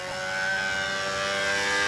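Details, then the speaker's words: Control-line B-25 model glow engine with a 220 venturi, on the first needle setting: high, steady screaming buzz with even pitch, no sag or sputter; mixture just about right. "now what I'm doing more than anything else is I want to take this footage home and listen there we go that's just about right even on the first needle"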